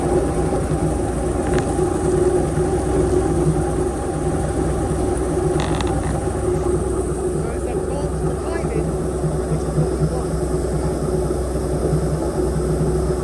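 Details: Airboat V8 with an upgraded cam, previously idling about 700–750 rpm, warming up before carburetor mixture-screw adjustment with a vacuum gauge: loud, steady idle with an even low rumble, no misses or hunting; running smoothly.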